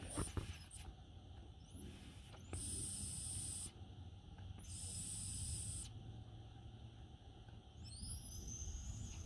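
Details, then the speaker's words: Air brake hiss from the foot brake valve area in the engine bay. Sharp bursts of escaping air over a low hum. The valve is back feeding. The cause is a part at the rear of the truck. "So let me take you in the engine bay so you can hear the air leak yourself. So the air leak is coming from this right"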